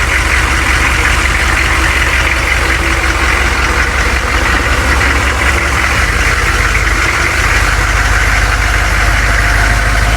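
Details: Humvee diesel after tightening both bolts on a moving part to cure an earlier noise, backing out: steady, even clatter and solid low rumble, no loose metallic rattle; noise not returned, normal running.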